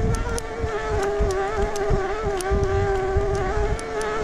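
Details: 2022 Specialized Turbo Levo S-Works e-MTB while pedalling: a loud, steady, rough high whine of the mid-drive motor grinding internally (clicking is a GoPro buckle). The dealer agreed the motor is faulty and the owner thinks it may need a new motor; the owner's 2018 Levo is silent.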